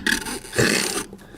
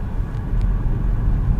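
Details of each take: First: Short creaks and thin squeal from the dry front strut bump stop cup on a Nissan Rogue X-Trail T32 worked by hand, the squeak heard over speed bumps in sub-zero cold; fix is graphite grease. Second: Nissan Rogue / X-Trail T32 driving over rough road and rail crossings after fixing front suspension squeaks that appeared below about −2 °C: road rumble and one firm thump, no squeak or creak; quiet suspension.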